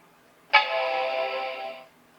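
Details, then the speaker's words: Macintosh PowerBook 180 running System 7.1 at startup; brief buzzy whir of about a second and a half, clean start and stop, as the floppy drive seeks and reads normally; the hard drive is faulty. "Oh, the floppy drive's going. The hard drive was going off before I heard it."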